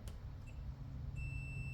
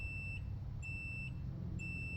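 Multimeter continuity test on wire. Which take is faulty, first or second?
second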